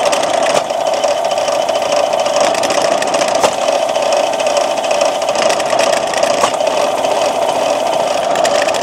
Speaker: As you can see, it shakes all over the place. I actually have to keep it clamped to this table just to prevent it from walking off and falling onto the floor. It has absolutely no power.